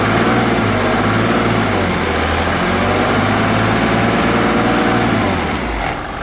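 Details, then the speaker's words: 1987 Mercedes 300SDL W126, OM603 diesel, during diesel purge: smooth, even idle with steady low beat and light clatter, quieter as the purge runs; healthy, clean-running engine. "Sounds so good. So look how quiet it sounds now. Beautiful."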